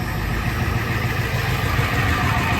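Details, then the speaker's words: 1990 Ford F-250 7.3 IDI diesel, first start in 3 years, running after warmer weather: steady even diesel clatter with deep unbroken rumble, no misses; healthy idle. "Well, this is anticlimactic because now it's running and I didn't hit record, but basically I started cranking it over and I think the warmer weather was kind of what it needed, and now we're running again."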